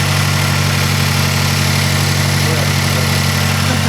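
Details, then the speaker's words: 2006 Mazdaspeed 6 after replacing a faulty coil pack that caused a misfire: steady even idle with smooth low pulse, no stumble or skip; running cleanly. "So yeah, the car runs freaking good now. Well, as good as it can. It's a Mazda."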